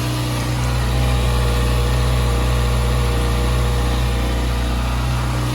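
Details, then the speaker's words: Bone-stock 2023 Kawasaki ZX-6R 636 with stock catalytic converter, bike being built for racing, idling outside; smooth, steady idle with an even pulse, no knocks or rattles, healthy. "this is what a bone stock 636 sounds like you guys hope you guys enjoy the sound of this"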